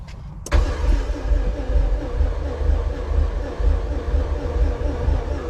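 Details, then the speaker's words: K20-swapped Honda EF sedan after long sitting, almost 40 psi fuel: steady, unhurried cranking about two beats a second, never catches; owner thinks it isn't building compression yet. "cuz right now it doesn't sound like it's building compression but after a little while after an engine sits for so long when you crank it over it'll build compression"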